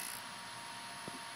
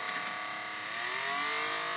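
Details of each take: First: Wii disc drive with the spindle piece pushed over by hand to stop grinding caused by the spindle rubbing its arm: soft steady hiss with a faint high whine, quiet, no grinding. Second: Wii disc drive: a harsh, hissy grinding buzz with a whine rising as the disc spins up, caused by the white plastic spindle rubbing its arm. The fix is loosening the spindle magnet's two screws and shifting it.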